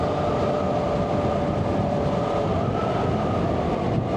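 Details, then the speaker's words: Yamaha Fazer riding after new front wheel bearings were fitted and the tyres were inflated: steady, even rush of road and wind noise with a light constant hum, no rhythmic droning, and the bike feels more planted. Normal road noise. "very different still road noise as you would expect but and the feel is very different as well it feels like it's kind of planted on the road a bit bit better"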